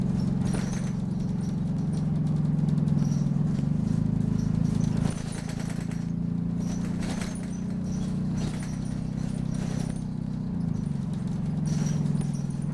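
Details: Optare Solo bus on a diverted route: steady diesel drone under load with sharp high-pitched squeaks chirping every second or two; the squeak source is not identified.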